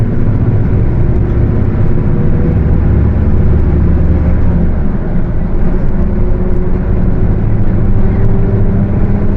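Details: Mercedes-Benz OF 1721 bus, Torino S body (Viação Estrela 100.141), under way: steady low roar that follows road speed rather than engine revs, over road rumble; the differential is roaring.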